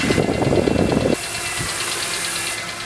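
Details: 2003 BMW E46 M3 S54, about 114k miles, VANOS replaced and valves adjusted: light rapid uneven clicking about three per second, louder at higher rpm; dealer diagnosed worn cam follower damaging the camshaft, recommending camshafts, followers and follower shafts replaced.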